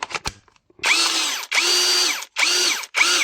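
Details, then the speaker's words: PSB/SAP 20-Li C3 cordless drill, transmission slipping on both speeds, after reassembly: four bursts of high motor whine that spin up and sag as it drops out of gear; the gear selector won't stay in place. "là ça décroche il y a rien à faire alors on va redémonter"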